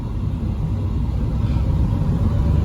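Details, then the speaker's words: Even, steady low rumble on a road test of a Peugeot 306 after a top overhaul for overheating on long drives (new head gasket, machined head); engine response fine, temperature relatively normal. "Ya enak ya. Untuk respon mesin sih nggak ada masalah, enak ya."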